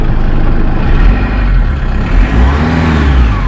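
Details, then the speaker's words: Jeep Wrangler JK 2.8 CRD diesel after an oil and filter change, revving up cleanly and evenly with a steady low rumble. Much smoother than before, with no knocks and no smoke out the back. "that's much smoother now so I'm happy with that nothing out the back as well"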